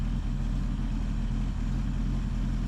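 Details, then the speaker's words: 1976 Ford Ranchero 500 V8 after a new timing chain, oil pump and timing set: a steady, even low rumble with no ticks, knocks or misses, noticeably smoother than before. Normal, healthy idle. "because it runs great now with a new timing chain boy it really runs good I can tell the difference smoother you can hear and feel the cam doing its job"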